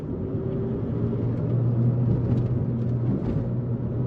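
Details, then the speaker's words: MK5 Golf on the first drive after driveshaft replacement: low, steady droning hum rising over road rumble under load at about 1,700–1,900 rpm. Drone persists and is RPM-specific; owner suspects a transmission bearing or driveshaft. "right there is where it's like droning it's like 1.7 to 1.9 K"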